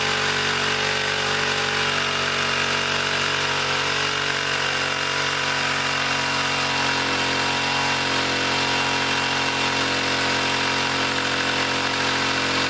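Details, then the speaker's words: 1959 military single-cylinder engine fed from fuel line in a gas can, carburetor high-speed circuit sprayed out and slightly flooded: runs flat out at a high steady buzzing pitch, overspeeding as the governor runs wild. "But that governor was running wild. And that's through here. It was revving up pretty high."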